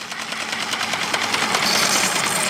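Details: Chemical transfer pump unused about 12 years, flushing with water: steady motor whirr with fine fast ticking over rushing water, even level throughout; healthy and pumping well.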